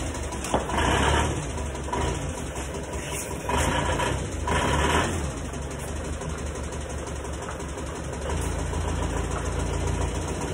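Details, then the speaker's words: Diesel engine just rebuilt yet still rough: persistent uneven tak-tak knock about four a second at idle, remaining even with injector pressure relieved; bearings found fine, worn or poor-quality pistons suspected as piston knock. "nockingnya itu suaranya akibat dari pembakar yang tidak sempurna misalnya ya nosonnya kencing itu kalau dibang tekanannya itu suaranya itu akan hilang nah tapi mobil ini gak dibuang tekanannya suaranya tetap tak-taknya tetap ada makanya saya turunkan mesinnya itu"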